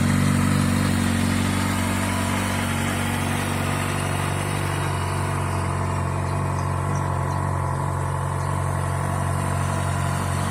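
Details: Kawasaki Ninja ZX-6R, very low mileage, new TÜV inspection, recorded for sale before polishing: steady, even idle with a smooth low hum, no knocks or rattles, holding speed; normal idle.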